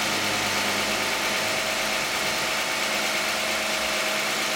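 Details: 2010 Toyota Camry 3.5 V6, 93,000 miles, Pennzoil Ultra 5W-30 synthetic and Wix filter, cold start idle. Even, fairly quiet hum with a light steady ticking and no knocks or misses; a healthy engine.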